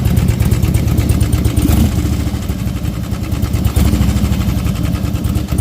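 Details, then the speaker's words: Harley-Davidson Twin Cam 88, warmed up and ridden about 10 miles, when a fluttering knock like piston slap appeared suddenly over a lumpy rumble at about three per second; owner suspects the cam chain tensioners or the lifters. "so it was like a fluttering knocking piston slap is a weird noise I've never heard"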